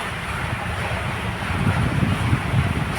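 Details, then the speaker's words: Maruti Suzuki Wagon R K-series with pickup, jerking and mileage complaint: engine now idling smoothly and silently with steady low rumble, no ticking; earlier tak-tak sound from silencer rear pipe gone; normal idle. "Okay ഇപ്പോൾ engine നല്ല രീതിയിൽ silent ആയിട്ടാണ് നിൽക്കുന്നത്"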